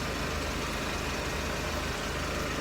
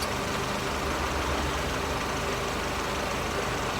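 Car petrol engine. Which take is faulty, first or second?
second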